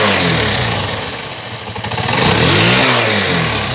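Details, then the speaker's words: Single-cylinder motorcycle after adjusting the valve rockers, using paper as a gauge: throttle blips climb crisply and fall cleanly, then settle back to a steady idle without dropping out. A healthy, normal throttle response. "vas a ver como su reacción y escucho que no se baje al mínimo y vas a ver como la moto queda muy bien reaccionado"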